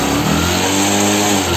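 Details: Bajaj Discover motorcycle after half engine rebuild (piston, rings, valves, timing chain, clutch plates) for white smoke, oil burning and seized-piston knock: smooth steady revving, clean and even, no knocking or clatter.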